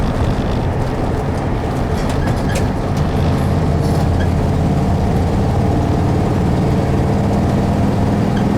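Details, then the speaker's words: 1971 VW bus, air-cooled four, driving on road, even low thrum firing on all four after valves adjusted on one side; normal running. "The bus is running pretty good. I adjusted the valves on that one side real quick, and you can hear it. It runs on all 4s again."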